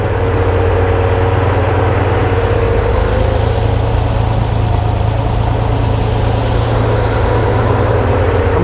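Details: Flood-damaged Corvair on custom fuel injection after reducing startup fuel and warm-up taper: steady low idle, even throb, no misses or surging; running smoothly.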